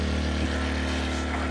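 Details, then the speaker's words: Sportsman GEN1000i inverter generator warming with the choke slightly on, recorded a few feet away: a steady, even hum at constant pitch with no hunting or surging. It is idling normally, though a fuel cap venting fault caused erratic running after about an hour. "Unit runs extremely quiet, very steady."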